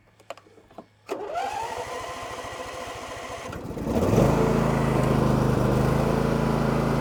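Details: Husqvarna 2242TDRF ride-on mower just reassembled after repair: quiet, then a few seconds of cranking before the engine catches and settles into a steady, even run with no misses or knocks; runs as it should.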